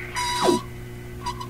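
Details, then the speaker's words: Philips Sonate BA581A vacuum tube radio: squealing tone sweeps down as dial passes a station, chirp on one side only, near oscillation or regeneration; whistle while tuning, owner suspects it needs alignment. "radio is getting close to breaking into oscillation or it's a regenerative type sound"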